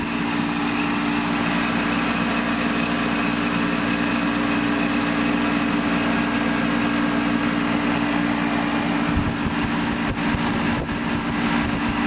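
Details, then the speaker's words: 1988 Tempstar AC condenser unit after replacing the seized fan motor: steady, even hum with a smooth fan whoosh and no rubbing or knocking; normal running. "all right direction sounds healthy"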